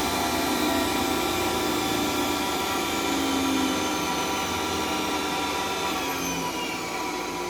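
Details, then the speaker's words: Centurion tank turret main generator with Metadyne unit started, warming up: steady, even electrical whine with a smooth unbroken hum holding pitch; normal generator and Metadyne running. "So yeah, listen and hear the sound of angels singing."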